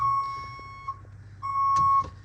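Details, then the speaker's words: 2023 Ford Transit Passenger in reverse: steady high beep, each tone about half a second with short gaps; normal backup warning, silenced by unplugging the blue-wire connector under the rear. "Hey guys, today I'm going to show you how to fix that annoying backing up sound on the Ford Transit."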